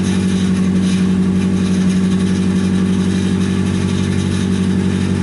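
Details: Nissan 240SX S14 after SR20DET engine swap, first start once the loose fuel pump plug was fixed: steady, even idle with smooth low rumble, no knocks or misses, warming up while bleeding coolant air.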